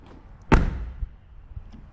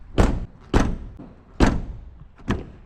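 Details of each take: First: Jaguar XF car door closing with a single solid, deep thud and no rattle, how it should sound; this car's repaired driver door rattled from improperly installed bolts. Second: Jaguar XF driver door shut repeatedly after a dealership door repair: heavy thunk then loose buzzy rattle; door bolts not installed properly so the door hangs/sags.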